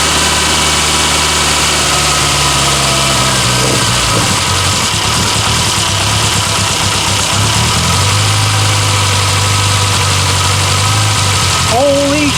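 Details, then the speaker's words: 1962 Austin Healey Sprite Mk2 with the 948cc four-cylinder, first start in over 40 years: it runs unevenly, its note sagging and surging every few seconds and never settling into a steady idle. "This doesn't quite want to idle, but Woo!"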